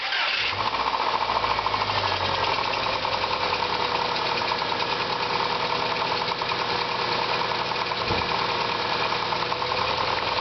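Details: 2000 Subaru Legacy GT flat-four at idle: a steady, fairly quick knock throughout. Possible rod knock and bottom-end trouble are suspected; the engine later blew up.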